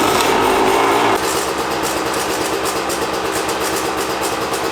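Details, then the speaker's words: Two-stroke Suzuki RM after top-end rebuild, first start at fast idle: quick metallic rattle about three per second over exhaust crackle from the top end; owner then inspected the power valve, cause not confirmed. "didn't take me long to notice a metallic rattling sound coming from the top end you can hear it really clearly in this clip"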